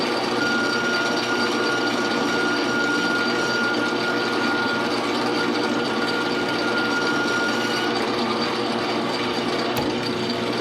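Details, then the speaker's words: Metal lathe boring a hole with power feed, boring bar stuck out about seven and a half times its diameter: thin, steady high-pitched whine over the running lathe as the bar chatters in the hole despite efforts to minimize it; hole to be reamed afterwards. "hopefully you could hear that chatter you know I've been trying to minimize it but it was there that really high-pitched whine that was that boring barb chattering in that hole"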